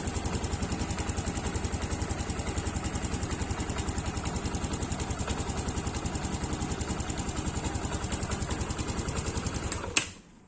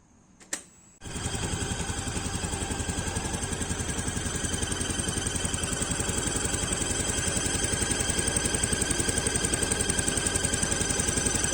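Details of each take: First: Yamaha Aerox liquid-cooled scooter after water pump seal and bearing replacement and radiator top-up, idling with a steady, even pulse and no squeak, then shutting off. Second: Yamaha Aerox scooter (radiator-cooled) idling gives a steady high-pitched squeal over the even putter, at first thought to be from the CVT; traced to the water pump seal, fixed by replacing seal and bearing.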